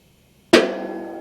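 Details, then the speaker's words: Modified shop press (boxed C-channels, reinforced top) pressing motorcycle crankshafts, jack pumped by hand: one sharp pop as each stroke begins, then a fading metallic ring, smooth for the rest of the stroke. Pops grow as the press gets tighter. "but then it's smooth for the rest of that pump so if you're trying to get it closer without it popping it does pop a little more as you get further in because it's getting tighter"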